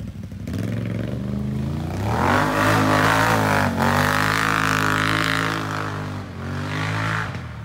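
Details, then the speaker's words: Once-flooded 2020 Can-Am XMR 850 after all fluids changed, ridden in the rain: clean engine note climbing smoothly through revs, easing off and pulling again without misses or clatter; normal acceleration. "he's gone man that thing sounds so good"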